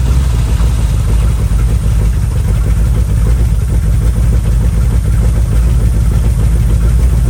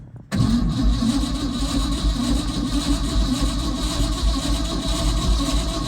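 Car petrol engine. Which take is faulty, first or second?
second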